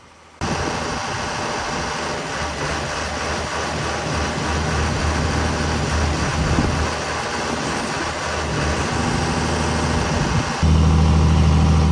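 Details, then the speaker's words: John Deere 7320 tractor diesel idling unevenly, speed surging up and down, then jumping to a higher, louder run; code for low accelerator pedal potentiometer voltage traced to burnt wiring and a melted connector pin in the right-hand console. "so we got a 7320 that we're working on today and customer says it idles up and down and having some issues when they're running"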